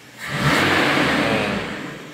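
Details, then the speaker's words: 1997 Toyota Kijang with a carburettor, which had heavy pull and stuttering in 3rd gear: revs now climb straight up cleanly on a throttle blip with no stumble and fall away smoothly, where earlier it strained first. Normal throttle response. "dan ini pada saat kita gas aja langsung respon enak gasnya langsung respon kalau pertama tadi kayak ngeden dulu gasnya baru naik Ini langsung plong gasnya"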